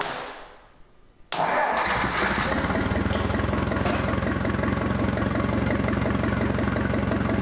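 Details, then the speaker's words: Ford 2000 tractor during restoration, run on a temporary gas tank with minimal wiring after starting on carburetor spray: cranks briefly, catches at once and settles into a steady even idle with no misses or knocks; healthy. "So we put a little gas tank we have on it so that way we could hear it run and make sure everything was working good, and it sounded really good."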